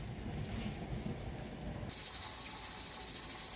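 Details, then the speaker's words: Pressure canner processing salsa at pressure for a 20-minute run: low bubbling gives way to a loud steady steam hiss as the weight dances and the stopper is up; normal venting. "that's what the dancing weight looks like you can see my stopper is up that's actually gonna prevent you from opening this pressure canner"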